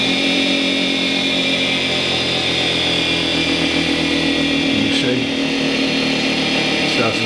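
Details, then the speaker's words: Charnwood W824P midi lathe on its fastest belt with the speed switch at maximum, which should hold about 4000 rpm. The high motor whine sags slower and slower. A faulty speed control module had been dropping speed to about 300 rpm, and the module was then replaced. "You can hear it, it's going slower, and slower, and slower, and slower."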